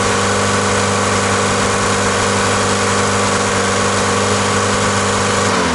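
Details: Old MK2 Volkswagen diesel after new fuel return lines, accelerator doing nothing: uneven low idle that wanders and sags toward the end; running only on lift-pump fuel because the injection pump has failed.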